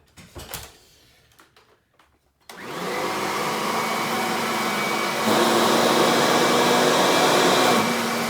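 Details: Kirby vacuum (148 CFM) running a flour pickup demo: after a few handling clunks the motor spins up to a strong, steady high whine and holds it; Kirby picks up most of the flour; healthy, powerful vacuum.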